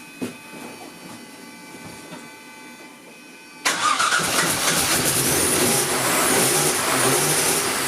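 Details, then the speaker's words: Jaguar AJ30 (Duratec) V6 swap, engine reinstalled, first start after five to six weeks dormant: brief crank, catches almost instantly, settles to steady even idle; starts and runs cleanly. "over a month of dormanty, maybe 5 weeks, six weeks actually. And it starts almost on the turn of the walk around."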